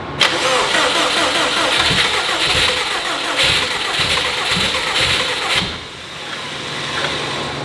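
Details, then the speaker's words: Subaru 2.5RS with STI engine swap, first start attempt: uneven cranking chugs with stronger beats as if catching, though injectors are disabled; injectors were dumping fuel, suspected far too much fuel in base table. "I have injectors disabled right now and it's like trying to start."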